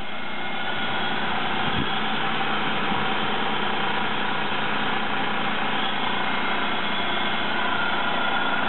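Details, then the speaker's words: 2003 Buick 3800 V6 after engine swap, restarted with the original flex plate refitted: smooth, even low idle holding steady with no knocks, ticks or misses; a small unidentified drip noted; normal idle. "Come over here and make sure we're going to get crankshaft turning. Yeah, come on. Now that's what it's supposed to sound"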